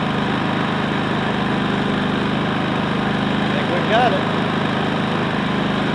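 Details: Predator 3500 inverter generator, 18 hours, after cleaning and refitting the clogged spark arrestor that caused stumbling: small petrol engine runs even and steady, smooth exhaust, no misses or surging.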